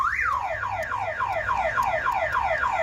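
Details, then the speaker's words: 2007 Ford Focus that won't start: a looping falling siren sweeps about twice a second nonstop once the battery jumper is connected; the faulty aftermarket alarm blocks starting and won't shut off. "So what happened is, this alarm is no good."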